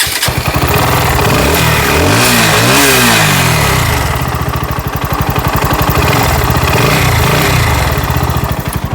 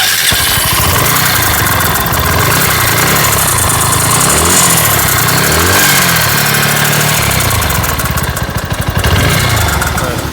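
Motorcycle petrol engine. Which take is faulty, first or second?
second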